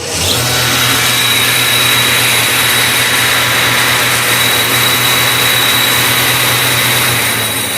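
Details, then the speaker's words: Iveco 12 V alternator bench test with belt removed: even whir with a thin high whistle; the rotor stops while the pulley keeps spinning, a slipping overrunning pulley to be replaced, bearings seem fine. "O rotor parou e a polia continuou rodando, né? Então, eu já tô com a polia nova aqui, ó."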